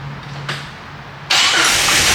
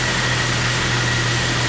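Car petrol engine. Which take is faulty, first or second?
first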